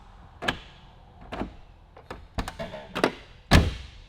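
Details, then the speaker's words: Lamborghini Murcielago LP640 central locking via remote: several sharp clunks at irregular intervals as actuators cycle erratically; remote works only part of the time, cause not pinned down, possibly a sensor. "the remote only works part of the time you can hear it lock them unlocks and it unlocks"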